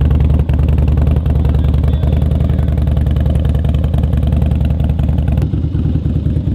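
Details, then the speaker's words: Harley-Davidson Twin Cam 88 running after a Feuling cam chest install with ThunderMax tune, with the oil pump pre-filled and lifters pre-soaked in oil. Loud, lumpy V-twin beat holding steady and even with no tapping; healthy, normal running. "filling that oil pump full of [ __ ] like lube and stuff it sounds good healthy"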